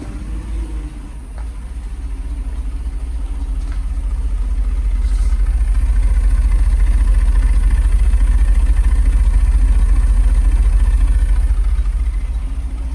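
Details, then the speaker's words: Mercedes SL500 at idle after Sea Foam, accelerator not pressed: uneven thumping at about 214 pulses a minute with a heavy shudder that swells and fades, popping from the engine's front. Rough idle with misfiring; owner suspects bad gas, possibly an exhaust leak. "Sounds like a tractor. Frig's sake. Shaking the shit out of it. Sounds like a friggin' tractor. Sounds like it's popping from like the front of the engine."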